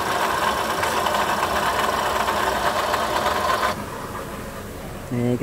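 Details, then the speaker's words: Toyota Sienta idling with customer complaint of rough engine-area noise; coarse gravelly rumble under steady idle then shutdown, concentrated at water pump/alternator belt drive; oil fine. "mobil Toyota sienta pelanggan mengeluhkan ada suara kasar di area mesin"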